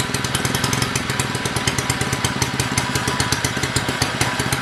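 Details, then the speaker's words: Small engine previously filled with maple syrup, cleaned out, flushed with water and refilled with oil, running after a few pulls: fast, rattly, uneven, lumpy firing at steady speed; running rough but running. "all right it took a few polls but we got it running and it's running really poorly right now not super poor but not great not brand new but it's running"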